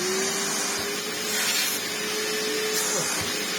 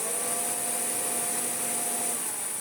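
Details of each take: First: 1998 Hoover Turbopower 2 upright vacuum with replacement motor fitted, belts popping off; steady smooth motor whine at one even pitch with airy rush, no rattles or surging; normal running. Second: Hoover Turbopower 2 vacuum cleaner first power-up, post-motor filter carbon-dusted but not smelling burnt: thin high whine over a low lazy hum, brush roll turning; motor running slow and abnormal, later replaced entirely.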